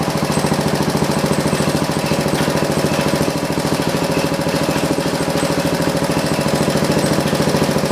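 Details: John Deere 112 round fender tractor with a Kohler K181 single-cylinder and a new carburetor: a steady, fairly quick chug of about 200 pulses a minute that never climbs. The engine won't rev up before the governor and throttle assembly are adjusted.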